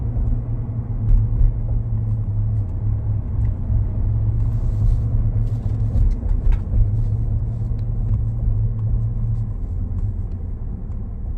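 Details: 2019 Ford F150 Lariat 3.5, driving: steady low drone holding one pitch under road rumble, front-end hum; owner suspects IWE, 4x4 actuators or front differential, not confirmed.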